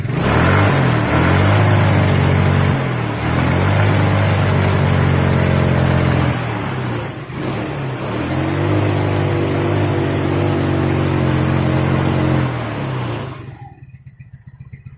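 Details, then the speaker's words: Yamaha Mio scooter, kick-started: engine rises on throttle but breaks up and stumbles instead of revving cleanly at high rpm, dropping back each time; sputtering bog at high revs, mechanic suspects clogged dirty air filter starving the carburetor of air. "Ini masalahnya berebet saat gas atas atau RPM atas."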